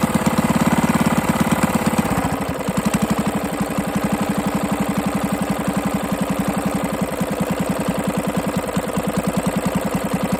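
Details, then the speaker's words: 98cc single-cylinder engine first run after rebuild with used but better-condition parts and a cylinder hone; after a rev dies down it settles into a fast steady beat with a hard knock each turn, a bottom-end knock; owner also suspects the carburetor needs cleaning. "It's got some bottom end noise. I'm hear it."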